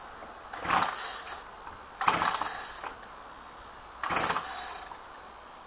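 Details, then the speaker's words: Ryobi saw cold start: three rasping recoil pulls about two seconds apart without catching, eventually starts but hard to start; owner puts it down to stale fuel, recoil spring acting up; hard starting. "there you go a bit on the hard to start side but never been that hard to start before but i put that down to stale fuel"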